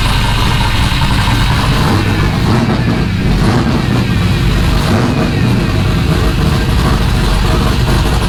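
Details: Rally Camaro LS V8 with open pipes, first start on new Aces Jackpot standalone ECU, idle target 1,000 rpm, not yet at operating temperature so not self-tuning: loud, deep, steady rumble, no misses or knocks; normal idle.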